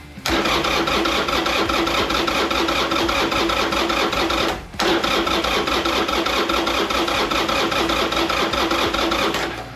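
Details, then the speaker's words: 2001 Harley-Davidson Sportster 1200 custom, carbureted, sat about 3 years, choke pulled: two long bursts of steady, rapid starter cranking that turn the engine evenly, but it never catches. Crank, no start. "let's let's make sure it turns over okay that's a good sign we got the choke pulled out this is carburated this isn't fuel injection"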